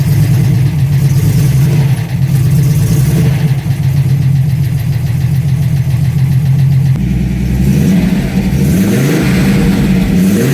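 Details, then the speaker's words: TVR after converting from a TFI to VAG/VW coil packs on MS2 ECU: engine catches cleanly, settles to a steady idle, then revs up and drops back smoothly with no misfire, running healthy after the coil upgrade. "cool they all seem to work so hopefully it should actually start now"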